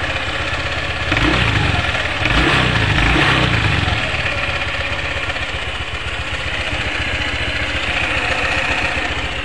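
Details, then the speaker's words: Honda PCX scooter at idle with a rev burst: a rough, uneven clattering and juddering from the CVT over the engine, before CVT disassembly; cause not yet found. "kami ada garapan Honda PCX ya mengalami problem atau trouble ini suaranya kemeletek dan kasar di bagian CVT kemudian geredek ya rekan-rekan"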